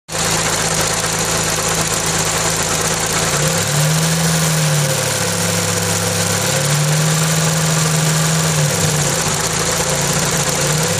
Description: Kancil l2 air cond compressor electric noises .